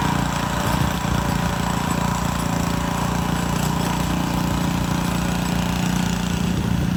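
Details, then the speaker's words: Montgomery Ward rototiller, small single-cylinder engine chugging low and uneven at idle; fuel in tank looks milky/cloudy, owner suspects water in the gas or carburetor issue; rough running. "What's that? I think it's got water in the gas. That's what I think it is."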